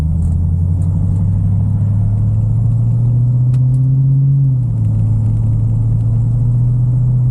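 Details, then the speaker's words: 1974 Bitter CD, Chevrolet 327 V8, warmed up, test drive under load after HT leads, cracked distributor cap, points and condenser replaced: even drone rising smoothly through a gear change, no misses; misfire fixed, normal acceleration under load. "under load now and yeah sounds sweet as it should y yep sounds good Happy Days for"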